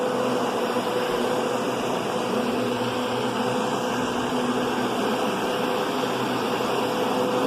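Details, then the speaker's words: Kenmore Progressive upright vacuum: smooth airflow with a soft mild motor tone, much quieter and softer than a Kenmore Intuition's louder whine; motor running normally. "But, the Intuition is a lot louder. It's just got a louder whine. And this is just a way softer tone."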